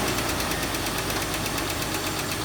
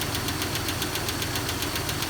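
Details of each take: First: 2001 Jeep Cherokee XJ that ticks on cold start, with the owner suspecting a rear lifter: right after adding Engine Restore to the oil, a steady idle with a fast, light tick on top, no heavy knock or stumble. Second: 2001 Jeep Cherokee XJ at cold start: sharp, even light top-end tick about five per second over steady idle, following engine speed and fading as oil comes up; owner suspects a lifter.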